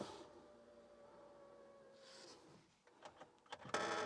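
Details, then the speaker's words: BMW after a fuel filter change with the filter dry, ignition switched on to prime: faint steady hum for about two seconds, then it stops and light clicks follow; normal fuel pump priming hum. "So just like to turn the ignition on, let the fuel pump do its thing, turn it off,"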